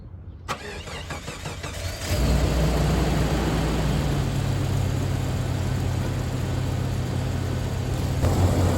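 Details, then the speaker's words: Jeep with the 4.0 engine, first start after transmission line repair and cooling system refill, about 2.5 gallons of coolant in, cold and warming up. Brief cranking, then steady even low idle with no misses or knocks: smooth normal idle. "nice and smooth, the good old 4.0, baby."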